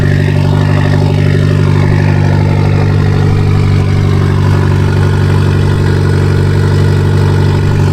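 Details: Mitsubishi Lancer Evolution X with stock turbo at cold start: deep loud idle with a fast puffing tick from a major exhaust leak in the center of the car.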